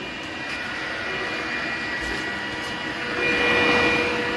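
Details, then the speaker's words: Glowforge laser cutter with Air Filter Attached setting off, full intake and exhaust fans enabled, rear exhaust unplugged: steady airy fan rush with faint constant whine, no rattles or surges; normal fan running. "And then can you hear me blocking the fan? Okay. Stop it. So you hear that fan spinning down."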